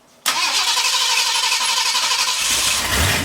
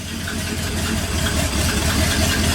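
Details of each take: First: 1959 Ford F100 special delivery V8, first run after front-end fixes and idle turned down from about 1,400 with vacuum advance fully advanced, not yet warm; catches and runs rough with an uneven, stumbling beat under loud exhaust: misfire from two plug wires barely seated. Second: 1959 Ford F100 special delivery panel truck V8, fired up: even, steady idle with a smooth low beat, no missing or stumbling; normal idle, now running cleanly.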